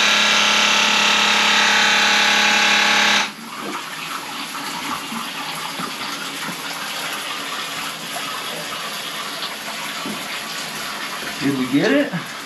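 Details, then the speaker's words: Airbnb bathroom drain where the toilet backs up into the shower drain, cleared with an air drain gun set to about 15 psi: a sharp blast, then steady rushing and gurgling water as the line empties. The drain is clear and flowing freely. "oh there it goes that's the sound we want to hear yay i don't think we're going to be able to get it to back up anymore"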